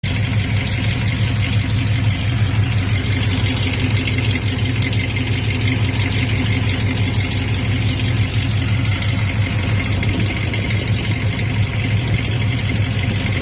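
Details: 5.9 (360) Magnum V8 at hot idle: a light, quick rattle about three per second over a steady idle. It is quiet at cold idle and goes away on acceleration. Still present after replacing the flex plate and torque converter; cause not found.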